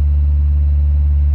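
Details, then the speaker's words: Petrol car converted to hydrogen gas, running on the stock ECU at about 2000 rpm unloaded, hydrogen tank at about 8 bar, engine not yet at full operating temperature; timing slightly less than on petrol. Deep, steady drone, even firing, no pinging or misfire: smooth fast idle. "so it's a little bit less than where it was before but seems to be working absolutely fine so this just proves that you can run an engine on hydrogen gas with a stock ECU"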